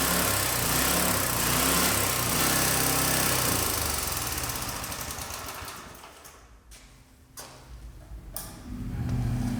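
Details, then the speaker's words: Craftsman 917.293301 rototiller single-cylinder engine on a test run after a carburetor rebuild. It chugs fast, then sags and stumbles before picking up, worse since fitting the restrictive new air filter; owner suspects the carburetor needs a tune-up. "so from that little test run and it was doing that a little bit last year it seems to be doing a little bit more now that it's got the little bit of restriction from the air filter on there the carburetor could use it with a little bit of a tuneup"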